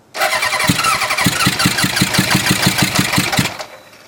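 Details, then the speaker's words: 1977 Hondamatic 750 barn-find motorcycle, spark restored after suspected kill-switch short; catches, smoking from exhaust, uneven lumpy popping about three beats a second; suspected firing on one carburetor or cylinder, unconfirmed. "there we go he got he had it run on something one carburetor or one cylinder or something"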